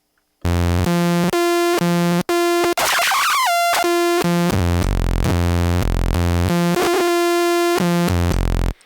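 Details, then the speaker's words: 2016 Minimoog Reissue synth, all three oscillators on: steady tone jumps between octaves with scratchy bursts and dropouts from noisy oscillator range rotary switches, worst on oscillator three. "so there all three oscillators on but you can hear the noisy uh rotary switches there"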